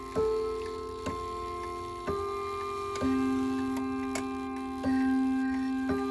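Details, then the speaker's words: Ridgeway wall clock after overhaul and cleaning: steady tick near one per second with clear, even ringing chimes; earlier fault was oil or grease on the hammer post, now healthy tick and chime. "Doesn't that sound so much better? I think so. So, the reason this clock functioned the way it did was just because, for whatever reason, somebody tried to put some kind of oil or grease on the post which the hammers sit on, and they fall back and fall forward on."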